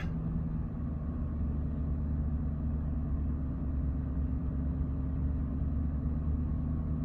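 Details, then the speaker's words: Jaguar XKR X150 supercharged V8, just started after a burst coolant hose, V-of-V8 O-ring, rubber coupling and three hoses were replaced: deep, even idle with no misses, knocks or hissing, settling its mixture; running healthy. "herself out, getting the air, water and fuel mixture right."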